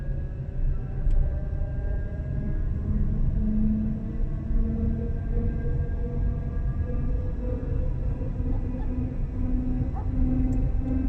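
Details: Renault Zoe coasting downhill in neutral: a loud, droning tonal whine over heavy road rumble, its pitch rising and falling with road speed.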